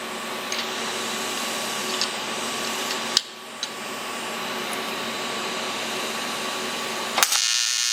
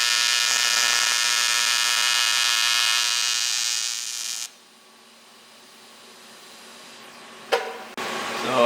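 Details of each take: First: ProTIG 200 TIG welder after setup mistake fixed, gas regulator at 35–40 while flowing, thinner piece: steady fizzing hum, faint high tone, brief crackles at arc start/stop; stable normal arc, current control needs practice. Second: ProTIG 200 TIG welder: steady buzzy arc hiss for about four seconds then dropping out; current set too low, then raised to 200 amps.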